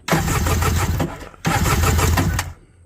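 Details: 2001 Kawasaki 900 STX jet ski with an added primer system, no-start that runs the battery dead, cranked during a spark and compression check. Two bursts of fast, even cranking with no firing. Weak spark on the first two cylinders, none on the rear; about 120 compression on number 1. Cause unconfirmed.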